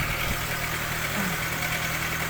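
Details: Proton Wira with an intermittent charging fault; crank pulley marks shown not slipping, charging now coming in but the battery is weak: even, steady idle with a constant hum and no knocks, slips or squeals; normal idle.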